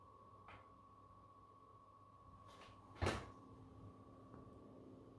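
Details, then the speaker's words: PS5 Pro model CFI 10 on firmware 2.70, fan heard while starting a game. Soft, steady fan hum with a thin constant high whine and one handling knock; quiet fan, mild coil whine. "Let's listen to the fan when we start the game and to the coil whine."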